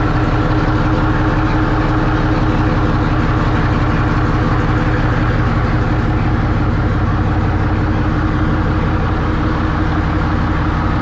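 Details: 1963 Diamond T 931-CN cabover semi diesel, first run after sitting one to two years: deep even clatter at steady idle, no misses, knocks or hunting; idling healthy.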